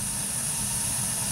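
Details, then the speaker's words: Burnham ES2 gas boiler startup: buzzing spark ignition, then once flame is proven the main gas opens; steady, even burner roar with faint high hiss, no popping or flutter, flame current 13–16 µA, firing cleanly. "there was a spark igniting and when the flame is proven the main gasp now will turn on and you have the boiler running"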